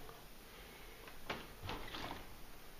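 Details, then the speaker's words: Patio door hinge, already oiled per care instructions, creaking and squeaking on opening and closing since about 10 months after first occupancy: three short creaky bursts as the door swings. "man hört jetzt das Quietschen. Und wieder zu."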